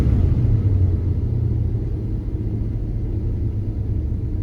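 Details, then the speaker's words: Chevrolet C10 small-block with Holley Sniper fuel injection, idle ramping back up; throttle plates on the IAC then readjusted, owner suspects earlier vacuum leaks confused it. Even rumble well above normal idle, easing only slightly: high idle. "so I've readjusted the throttle plates on the iak try to reset it again maybe that after with the vacuum leaks was making things go crazy so the idle was really high"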